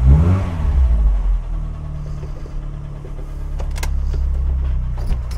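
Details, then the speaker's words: Cold 1991 Rover Metro petrol engine on choke starting, revving briefly, then a steady, even fast idle with no misfire, after fitting new HT leads and ignition coil to cure misfiring and stalling below 2000 rpm. "The engine, of course, is cold, and so we'll need choke, but it's revving smoothly, no more misfiring."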